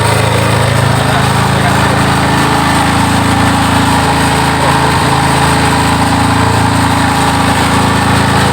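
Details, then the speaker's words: Yamaha Scorpio motorcycle, after swapping in a different CDI, started on choke without throttle: loud, steady, fairly high idle with even beat, no misses or pops; higher rpm shows normal running. "Ya, RPM lebih tinggi menunjukkan bahwa kemampuan bekerja dia baik."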